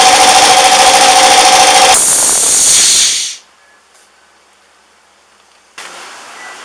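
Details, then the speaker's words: 240V air compressor: loud steady pumping stops abruptly at about 130 psi cut-out, then a soft hiss as the unloader bleeds air from the delivery pipe at the pressure switch; normal operation. "as you heard there when it came up to pressure about 130 lb it turned off and it bled air out of the delivery pipe at the pressure switch"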